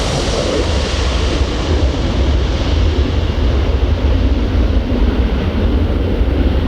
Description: 7:54 - 9:27 = take off B707-358C, Air Transport Service, 9Q-CVG - withou any problem.